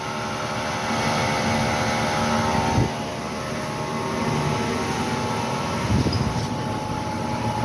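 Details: Car with newly installed tires, customer reports noise since two tires were put on: constant airplane-like drone with faint steady tones while cruising, source unclear: droning road noise.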